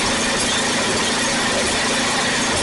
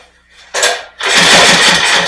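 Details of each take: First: Snapper rear-engine 8 hp mower, revived after years in a field, after resetting the carburetor float that was set very low: steady, even putter at constant speed with no misses or hunting; runs real nicely. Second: Rear-engine Snapper mower, sat for years, open carburetor with no air filter element: brief catch, dip, then a harsh uneven run hunting for speed and trying to stall. Running way lean; carb adjustment didn't improve it.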